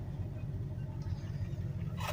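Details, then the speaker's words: 1986 Dodge W150 Power Ram pushrod V8 after mechanical fuel pump replacement and priming, choke pulled: fires within three cranks, then a low even idle around 500–600 rpm with steady firing pulses and no knocks or misses. "So and she lives again. Sounds good. And we're at about 500-600 RPM. It's about perfect."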